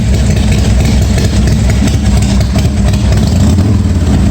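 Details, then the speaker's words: 1986 Harley-Davidson Softail V-twin after a wiring repair, running with the headlight on and still charging, reportedly with a new stator; steady, even low burble at idle with no knocks or misses; normal idle. "well looks like it's charging with the lights on it's pulling it at least headlight"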